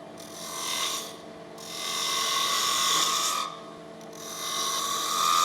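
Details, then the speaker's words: Wood lathe turning a magic cup spindle with a 3/8 spindle gouge; slow rasping passes with rough fluttering buzz as the tool bites, the gouge chattering against the spinning wood. "You can actually hear a bit of chatter there."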